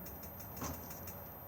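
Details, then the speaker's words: Caravan space heater running on gas: faint quick igniter clicks, about five a second, while the dial is held down to light it; ticking stops once lit, normal operation. "turn it and you should be able to hear it ticking away if i now hold it down"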